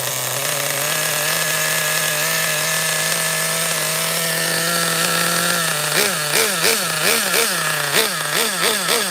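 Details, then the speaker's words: Schumacher XTR-3E nitro stadium truck on first fire-up restart, no preheat, engine very cold: thin high buzz holds, then sags and surges in rough bursts about once a second, bogging without clean revs; beyond rich, needs leaning. "oh yeah it was beyond rich I couldn't get any more RPM I'm going to lead it more okay that was an indication of richness"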